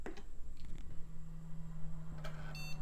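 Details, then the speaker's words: Motherboard salvaged from e-waste, test-booted with a makeshift cooler and DOS boot disk: one short steady beep over quiet room hum, the normal POST all-clear before booting. "all right got a happy beep and we're posting and we are booting"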